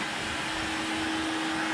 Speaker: see it sucks the gloves up. Yeah, so we got cool, good suction. It might be a bit too much, but hopefully it will draw all the dust out.